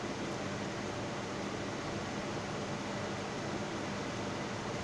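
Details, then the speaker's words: Ceiling fan after repair of its noise problem, running on direct supply: steady airy whoosh with a faint low hum, no grinding or ticking, speed normal; the earlier loud noise is gone. "देखिए ये बिल्कुल परफेक्ट चल रहा है, आप देख रहे हैं।"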